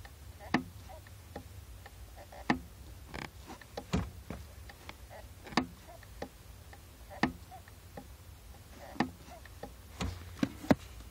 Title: Clicking Clutch Pedal | Clicking Noise Clutch Master Cylinder